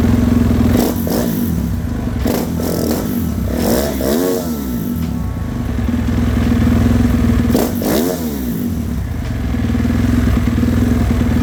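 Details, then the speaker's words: 2018.5 Husqvarna FC450 Rockstar Edition single, which had hard starting, backfiring and bogging, after fuel-line work to clear air bubbles: snaps up through quick blips and drops back to idle cleanly, with no bog. "okay a thousand times better before I wouldn't even rev like that it would want to die and fall on its face so I think that was it"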